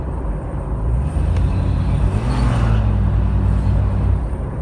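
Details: Toyota Land Cruiser 80 series low rumbling drone from the front end while driving, faint shifting hum over road noise; source not identified.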